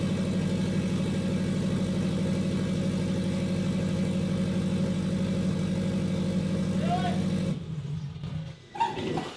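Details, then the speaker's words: Custom turbo Scion FR-S revving: loud idle with raspy, puffing edge on the exhaust note, then cuts off; huge exhaust leak where a pipe gasket didn't seal. "huge exhaust leak on that pipe that gasket didn't seal them [ __ ]"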